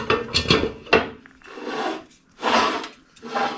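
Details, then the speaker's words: Model A brake drum on stock rear end with only the bearing fitted, no shims, turned by hand: scraping metal-on-metal rub in slow uneven bursts as it drags on the backing plate, suspected smaller taper. "you can hear it drags on the backing plate now what you can do what a lot of guys will do is go in and machine this Edge and also go in a machine at this Edge on the drum that'll get rid of that interference"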